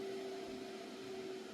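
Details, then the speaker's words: PC running many CPU miner instances with fan quiet mode turned off: steady airy whoosh and constant mid-pitched hum, even and unchanging; cooling fan running fast but healthy. "It's a quiet mode. So basically I turn the quiet mode off. Maybe it'll go if it's cooler, if it gets a fan blowing."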